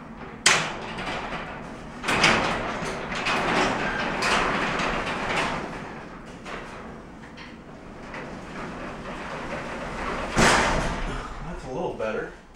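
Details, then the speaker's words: Garage door on opener, already lubricated, has shifted toward the right so the bottom cable hits the track: sharp irregular bangs over the opener rumble as the door travels; fix is sliding the whole door back over. "it's slowly shifting more towards right-hand side that's why that takes point bang bang bang over here because the cord that connects to the bottom is actually hitting over here"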